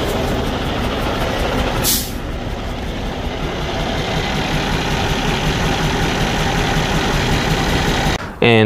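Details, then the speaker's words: 2015 Cummins ISX15 diesel with a broken cylinder head, running: rough, stumbling idle with a hiss under the clatter; hissing from the exhaust or intake area and unstable firing indicate compression leaking through the cracked head. "Uh usually you want to hear uh hissing sound coming from the exhaust area or from the intake area and is firing engine is not running stable."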